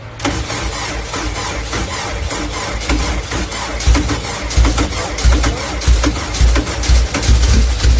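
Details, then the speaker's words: Honda K24-swapped dirt car on its first start with a K-Pro ECU: fires and stumbles with an uneven lumpy beat, no idle, one cylinder missing; coil swap didn't help, noid light showed the injector getting power; misfire from a dead fuel injector. "the first startup um it didn't idle and it did sound like it was missing"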